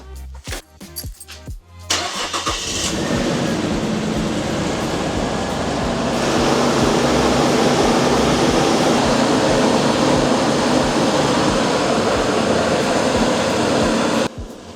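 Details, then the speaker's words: Nissan Stagea with the RB25 NEO engine, restarted after MAF sensor cleaning: it catches and settles into an uneven, lumpy idle with an irregular stumble; not running right, yet not bad either. The owner suspects a faulty sensor. "Something weird is happening. I mean, it's definitely not doing It's not running right for sure, but it's also not running bad, if that makes sense."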